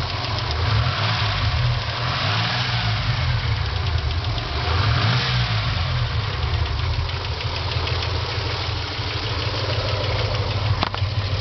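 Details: 1995 Dodge Stealth SOHC petrol engine running with an annoying light, fairly quick ticking over the low engine note; the cause is unknown.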